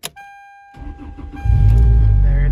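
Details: Car started after replacing a starter whose housing broke, coolant topped up, in cold weather; short chime, brief crank, engine fires at once and settles into a strong, steady idle, starts cleanly.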